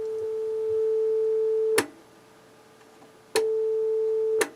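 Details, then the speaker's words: 1978 Technics SA-500 receiver with a 440 Hz test tone: the right channel drops out and returns with each click of the switch. A faulty, dirty switch is causing the intermittent channel. "so obviously this switch is buggered"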